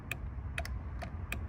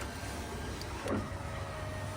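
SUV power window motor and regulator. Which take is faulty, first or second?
first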